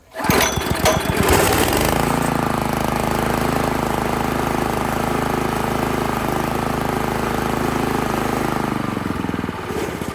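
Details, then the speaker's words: Italian Workman 2 Multimixer cement mixer, Honda GX160, idle screw about two turns out: uneven lumpy single-cylinder idle that stumbles then dies on its own; won't rev cleanly, valve clearance found too tight. "well I would love to say that that's the end of this one folks great video thanks for watching but I didn't shut this off it died"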